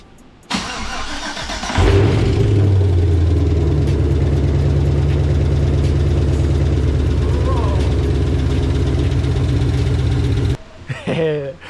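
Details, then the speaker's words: ZL1's supercharged engine repaired with parts from a burned CTS-V's LSA engine, first start after fitting the missed crankshaft sensor, exhaust on: it cranks briefly and catches with a loud rev. It settles into a deep, steady, even idle with no knocks or ticks. "Finally. It sounds good, huh? Yeah, nice."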